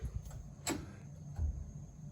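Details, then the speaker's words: Residential steam heating system with an added radiator over 30 feet away on an undersized pipe: sharp irregular metallic bangs as steam hits water trapped at a low point and pipes visibly move, steam hammer. "So that hammering sound that we're hearing is steam hitting water and violently exploding that water."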